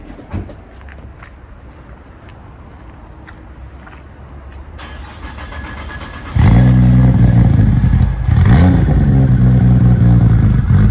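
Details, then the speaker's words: Nissan R34 GTR V-spec with fully refreshed engine and big intake, cold start: catches at once and settles into a strong, even idle with no ticking or heavy lump; normal cold start. "That sounds strong. Engine, it's been fully refreshed. There's no weird sounds coming from it, no ticking, no heavy lump."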